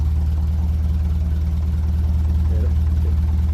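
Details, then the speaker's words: 1957 Ferguson 35 TVO tractor, warming up, after removing the offending push rod on the number 1 cylinder inlet valve, whose clearance kept increasing: an even, regular low thump at about four beats a second, the bad tappet ticking gone, a smooth idle. "But now, I took out the offending push rod. Hopefully that's going to sort it. That sounds very good now."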